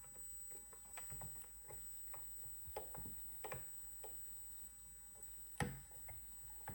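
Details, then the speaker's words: Oversky MXL-RX62H V2 RC airplane receiver with integrated dual servos, bound with a steady red light, stick moved. Faint irregular ticks with an odd louder snap. Servos suspected jammed and failing to move, unconfirmed. "this sound suggests to me that the servers are jammed and it's trying to move them but it's failing"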